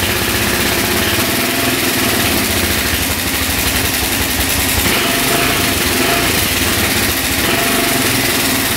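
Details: 2004 Suzuki LTZ400 quad, single cylinder, after carburetor cleaning and fresh fuel: fast even buzz on choke, no misses or knocks; no smoke; normal running.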